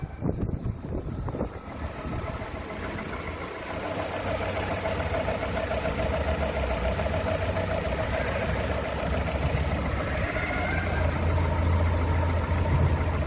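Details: Rover 25 engine after start: rough, repeating knock about twice a second, not fully even, over the idle hum. Cause of the internal knock unknown.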